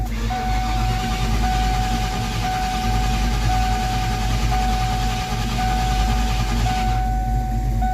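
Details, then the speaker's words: 1994 Mustang GT convertible that shut itself off while idling, not overheating, and won't restart even with a jump start; voltage reads very low. It cranks steadily for about eight seconds with a low churn but never catches. The cause is unknown. "It just shut off and won't start. We're not sure why. Let's see if it starts with the jump start."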